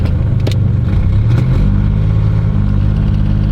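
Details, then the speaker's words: 1992 GMC Sonoma V6 with OBD1, about 200,000 miles, after a repair: low, steady note climbing evenly through the rev with light background clatter, no longer shaking or jerking and no longer needing heavy revs to move. "it's already running better than it was I don't have to rev the heck out of it to get it to move now"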